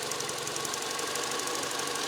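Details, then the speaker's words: 2009 Mini One R56 1.4 L petrol at idle with engine malfunction light on, stuttering while driving, bad exhaust smell and increased fuel consumption: busy, shaky idle going up and down; degraded or failed O2/lambda sensor suspected. "it's a bit shaky and you can hear it going up and down a bit"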